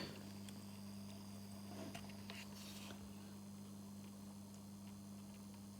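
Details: 2019 Lynx Ranger Pro forestry snowmobile, high mileage, newly fitted coolant pre-heater plugged in: faint steady low hum, no surging, rattle or ticking; pump circulating coolant, warmth and movement felt.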